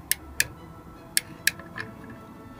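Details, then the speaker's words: Whale Watermaster FP0814 caravan water pump, pressure switch pressed and released by hand during pump-head reassembly: crisp sharp clicks, mostly in pairs, each clean, showing the pressure switch works normally. "make sure that this is still present and it's in there and there's a slot and you can check it by pressing and listening"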